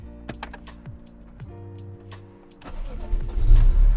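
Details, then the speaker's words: BMW E46 M3 warm start at full oil and coolant temperature: starter turns briefly, engine stumbles around 500 rpm before catching and rising to a rough rev; hesitation only after warm-up, otherwise runs fine, cause not found. "When I turn it on, it's got this sometimes, and it's strangely after it's been warmed up. So the first time I start it, it doesn't do this, but after I've warmed it up, it around 500 RPM, it hesitates to start."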